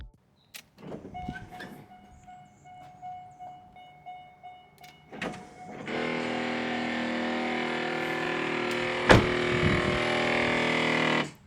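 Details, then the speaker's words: C5 Corvette pop-up headlight retracting: faint clicks, then loud harsh grinding for several seconds; stripped plastic headlight motor gears. "So as you guys can see, when I go to turn off the headlights, it makes this loud grinding noise."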